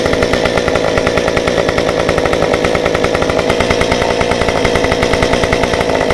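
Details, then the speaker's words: Stihl 193T climbing saw with muffler mod, about 8–9° timing advance, limiters removed, 93 non-ethanol fuel, 16-inch bar, restarted warm after 5 minutes off: crisp even two-stroke buzz, steady pitch, no stumble or surging. "But anyway, so I shut this saw down about 5 minutes ago, and I'm just gonna show you how easy it is to get it back up and running and how flawless it runs right now."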